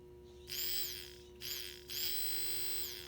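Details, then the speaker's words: 2001 Toyota Sequoia: new replacement fuel pump tested on direct power. Short bursts of a high, steady electric whir start and stop cleanly, running normally, unlike the old intermittent pump. "yeah we're all good the last one would not do that"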